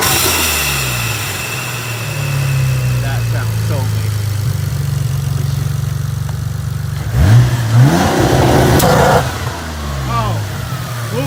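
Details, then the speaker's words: VR4 being tuned, running kind of funny, intake clamps not yet tightened: revs rise and fall cleanly, then a sudden loud whoosh and pop under boost as the intake pipe blows off; later fixed with T-bolt clamps. "off the pipe. Okay, that was fun. You guys saw that the intake thing just pop off."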